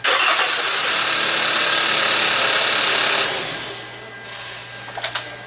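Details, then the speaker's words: Hyundai Elantra GT with intermittent no-start: even starter whir about four turns a second for three seconds, cranks but won't fire; scope shows intake and exhaust cam signals but no crankshaft position sensor signal; circuit to be checked. "so we clearly see here engine spinning right this because this is our cam cam intake and exhaust intake signals and our crank signal did didn't do anything at all"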